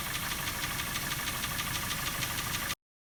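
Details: Daihatsu Terios 1.5 engine running with a light, fairly quick tick-knock about three per second; engine knock, cause unknown, valve clearances to be checked first.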